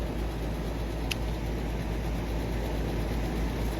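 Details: Outdoor AC condenser running after a turbo capacitor was fitted in place of a failed 45/5 capacitor during hot weather; steady low hum with smooth even run, no rattle or buzz, operating normally.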